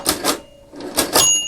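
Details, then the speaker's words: 1921 Monroe Model K mechanical calculator after oiling and reassembly: crisp bursts of ratcheting clicks per crank turn, then a clear bell ring; the mechanism cycles freely without binding or grinding. "I should just listen to the bell, right? Okay, I heard the bell, and I heard the bell again."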